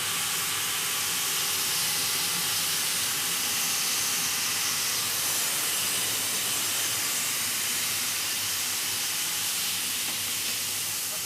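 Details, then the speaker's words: Steam locomotive boiler accumulation test: loud, steady roaring steam hiss without sputter as the pair of safety valves both lift and blow off cleanly, within tolerance; pressure taken no further. "of valves lifting now, so both valves are lifted. We will not go any further. We're within our tolerance."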